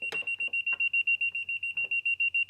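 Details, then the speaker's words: Scion xB air-conditioning leak check: an electronic detector held at the hose and metal line gives rapid, steady, high-pitched beeping of about six per second, with its light on, confirming a refrigerant leak at the hose. "you can hear the audible siren go off much louder and my leak detection light is on confirming that there's a leak somewhere at the hose"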